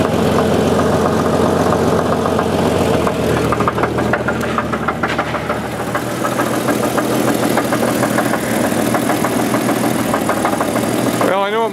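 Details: 1988 Jeep 4.0 Renix at idle, smooth-running: light regular knock about three per second, slightly louder at rear of engine, goes away at road speed; owner suspects piston slap, not rod knock; spark plug wire test inconclusive.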